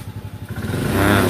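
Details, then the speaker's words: Honda Beat eSP scooter after repairing a starter fault, test ride: fires up and pulls away cleanly, revs climbing smoothly and evenly with no knocks, rattles or misfires; normal running. "Kita Nyalakan untuk hidupnya ini bagus kita jalankan tuh terlihat sangat normal kembali"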